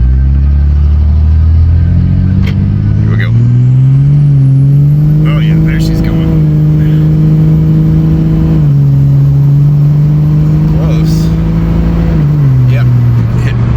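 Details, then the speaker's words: 2006 Dodge Ram 2500 5.9L Cummins diesel, near operating temperature on a road test after new injectors, fuel rail and lines and a valve lash adjustment to cure power loss: pulls hard with a climbing turbo whistle to 50 psi boost, spinning tires; power restored. "it hit 50 oh yeah she's got her power back well I'm proud of her she did good um got back up to 50 lbs of boost"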